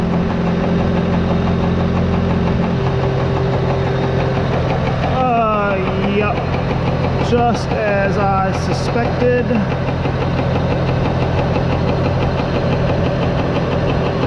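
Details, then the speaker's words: Tractor PTO-driven CropCare sprayer after bearing and seal replacement, at a steady idle. A light rhythmic knock and rub each turn comes from a pulley bent by prying and heat during removal, which may be hitting its bracket. "it's just a little bit out of whack right now so it may end up hitting just a little bit on that bracket"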